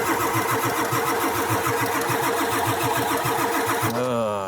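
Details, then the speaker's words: Ford 7.3 diesel truck at about 6–12°F, battery getting low, oil reservoir appearing empty: even starter cranking at about three and a half pulses a second, never firing; crank no start, fuel not gelled, no high-pressure oil to open injectors. "Yeah, so what we just determined right now is that the fuel has not gelled, but there is no high pressure oil to open the injectors"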